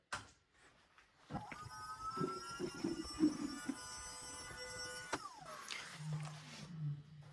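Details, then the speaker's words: Volvo electro-hydraulic power steering pump fitted to a Chevy S-10, car lifted, steering unlocked: thin, steady whine for about four seconds as it draws in much fluid, then winds down cleanly. Pump priming. "Woo! Wow, that drank a lot of fluid."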